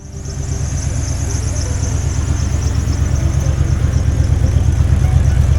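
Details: 1989 Ford F150 after fitting a new dual exhaust running out the back, now starting without ether; a deep, even exhaust pulse at about three beats a second that swells steadily louder with no rasp or rattle; engine sounds healthy.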